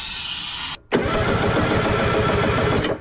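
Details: 1970s Wetco Wetbike two-stroke that sat about 25 years, after blowing out intake corrosion: the starter churns at roughly four pulses a second with no firing, a crank-no-start with no spark.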